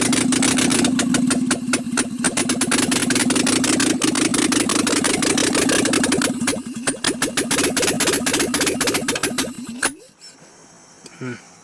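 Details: Nissan S12 Silvia turbo with a freshly reassembled engine set at TDC (firing order 1-3-4-2). Fast, chattering cranking with uneven firing bursts never catches. The owner suspects poorly seated injector plugs or ignition timing; unconfirmed.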